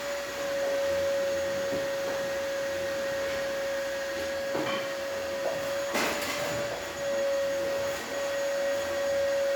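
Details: Gaggia espresso machine with zero pump pressure, after vibratory pump replacement: steady even buzzing hum at one pitch with light splashing; new pump operating normally in post-repair test.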